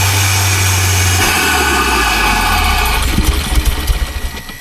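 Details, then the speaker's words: Porsche 924 Turbo revived after sitting 24 years, unloaded: engine holds raised steady revs with no throttle, then turns lumpy and uneven, possible turbo whistle; revs hang high and won't return to idle, cause unknown. "Now it just wants to rev on."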